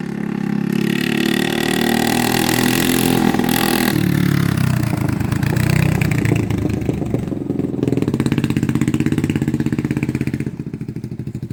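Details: 1980 Honda XL250S on a test ride after the bad fuel was replaced and the carb cleaned: the single thumps along and picks up cleanly on throttle, settling into an even beat with no stumbling or cutting out. Normal running.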